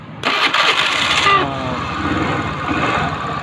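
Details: Honda Beat FI scooter after fixing a dead no-power fault: ignition-switch black wire supplied only about 9 V so relay wouldn't engage; jumpered 12 V from battery. Brief starter whir, then prompt catch and steady idle; starts normally.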